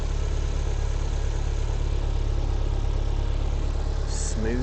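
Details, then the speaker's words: MG TF 115 with a Rover K-Series 1.6L petrol engine, running before an oil change and not yet at operating temperature; the oil change aims to cure tappet noise. A smooth, even low idle hum with no knocks, ticks or misses. Healthy idle. "But now you can hear the sweet sound of the K series 1.6 L engine. Not the 1.8. 1.6. But listen to this. Not a bad sounding engine to be honest."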